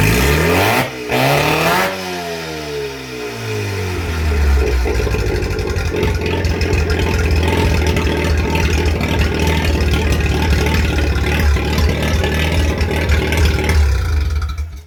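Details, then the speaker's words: Normal first start of a Mazda 12A rotary on an engine stand after compression tests of 98/95/95 at 280 rpm front and 92/93/89 at 284 rpm rear. It fires within two seconds into a steady, even idle that rises under revs. "Well, that's it. Going to fire it up. Idles."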